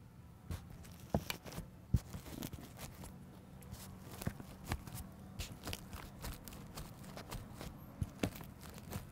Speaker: so I'll hold my microphone up and push on it and you can kind of hear the crackling of the of the inner lining of the wall which indicates water damage